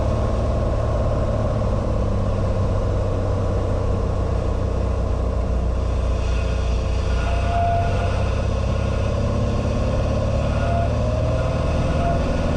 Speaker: as I turn final which is in line with the runway you can hear that whistling sound there are two holes on the Leading Edge of the wing which is how we can get fresh air in the cabin